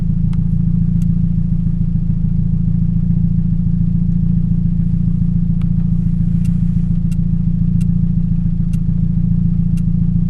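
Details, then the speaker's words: 2007 Toyota Yaris 1.5L 1NZ-FE at idle: uneven idle with a regular stumble three to four times a second, a cylinder 3 misfire from a bad ignition coil, before replacing coil packs and plugs. "My '07 Yaris sounds like it has a misfire."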